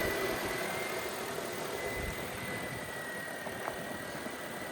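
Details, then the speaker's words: Car at idle after replacing a bad pulley, having already replaced the water pump and alternator needlessly: quiet, steady idle with no belt squeal or chirp. The squeak is gone. "The squeaking is gone. I cannot believe what an idiot I am that I've changed the whole new alternator and water pump when I should have started with a 15 quid pulley or even 14."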